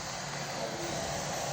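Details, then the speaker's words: Apple M4 Max MacBook under heavy load: loud steady airy fan rush, far noisier than the M1 Max; machine was faulty and replaced by Apple, replacement silent. "My M4 Max, when I got it, was incredibly noisy, and if you haven't watched my first video, this is how noisy it was."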